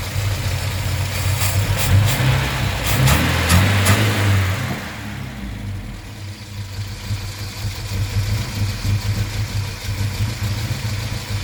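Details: 1973 Volvo 142 B20 Sport with dual SU HIF6 carburettors idling unevenly with lumpy, hunting beat; rough idle because fuel pressure was too high.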